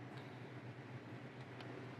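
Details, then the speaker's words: 1999–2002 Chevy/GMC NBS truck after an electric fan swap, fans switched on with an HP Tuners scanner, fan two on: a quiet, steady low whir with no ticking, rubbing or wobble; the fans run smoothly. "fan two on oh I guarantee you can hear that this turbo fan mold two fans yes sir"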